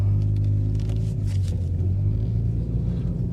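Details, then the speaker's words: Car not driven in a long time, known bad wheel bearing, driven a little way down the street: deep steady droning rumble under the car as it pulls away, sounds bad; pulls slightly to one side braking, previously clunked. "Well, yeah, you can definitely hear that. Wow, that sounds that sounds bad."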